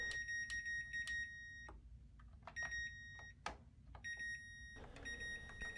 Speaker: you can check each button and the cycle knob by turning the knob and pressing a button to see if it beeps and the light turns